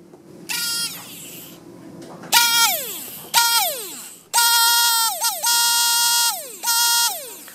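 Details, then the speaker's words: Brushed micro quad motor (Tiny Whoop/QX90 type) held near the mic: short bursts of high buzzy whine spinning up and dropping away, with a rough, uneven edge. This is the worn motor identified among four, compared with a good one. "So this is the bad motor that I've identified from the four other motors. You can clearly hear that it has a rough sound compared to the other motor."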